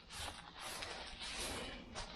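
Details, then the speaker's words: Salvage-yard CR125 bottom end: turning it slowly gives a dry, gritty scraping and creaking with each sweep, a real scratchy rotation inside the engine. "There's no plug in it. That's why that's why it sounds like that."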